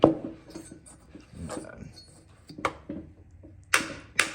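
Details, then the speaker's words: Sharp, uneven metallic clicks as a crusted 1997 Murray mower engine is turned over: the camshaft stays put while the crankshaft spins, knocking the engine out of time internally. "hear that clicking that's a cam shaft staying put while the crank is actually spinning so I unfortunately what I did is I knocked this motor out of time interally by doing that"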